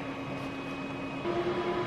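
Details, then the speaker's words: Aluminium pulsed-MIG weld with the HTP Revolution on a coffee pickup truck frame, double-pulse mode, slight weave: a steady buzzing arc whose pitch changes with amperage and steps between the high and low current of the pulse, which is normal. "so with this one you should not only hear the change in Pitch from a different amperage settings but you should hear the change in Pitch between the high and low of the pulse"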